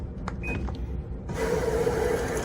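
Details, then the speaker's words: Magic Chef/RCA 3.0-liter washing machine that showed E3 error, previously had its water pump replaced, now repaired; after a click, a steady hiss of water entering with a faint valve hum, filling normally. "you can hear the water flow before we couldn't hear the water flow so that's why we were getting Eric hold so we're good to go the machine is fixed"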